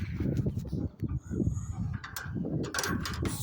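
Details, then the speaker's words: 2017 Nissan Versa, DoorDash car doing a couple hundred miles a day: uneven low rumbling clatter with scattered clicks at idle in park and neutral, gone in gear; worsening, suspected to be the transmission. "in park. You put it in gear, noise goes away. Neutral. Doesn't do it when it's in gear."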